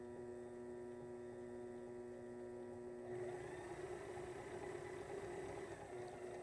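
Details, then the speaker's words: Sailrite 110 V Worker Bee Power Pack on 2,000 W (4,000 W peak) modified sine wave inverter: inverter hum, then motor starts about three seconds in with smooth steady slow-speed whir, no rattle; runs as expected. "Slow speed. Yeah. Again, exactly what we would expect."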